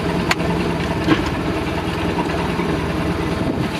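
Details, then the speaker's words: 1989 MerCruiser MCM 470 3.7L sterndrive, unstarted over a month, electric choke carburetor: steady lumpy idle, single clunk shifting into reverse, keeps running without stalling; controls and cables professionally installed. "see how she goes in reverse you'll be listening as i put it into reverse see if it kills out or if it keeps going"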